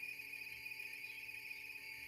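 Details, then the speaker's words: Record player (toca-discos) motor: steady high-pitched whine with a fainter lower tone, no speed change, bleeding into the audio output as interference; possibly lubrication of the armature shaft, to be disassembled. "Esse barulho da interferência lá na saída de áudio. Então vamos desmontar para ver o que que está acontecendo."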